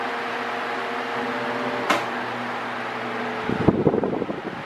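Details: Mondial Maxi Power V-40-B 40cm 140W fan oscillating: constant low motor hum with steady tones under airy whoosh, then brief handling clatter; owner says the motor is too noisy, especially on minimum.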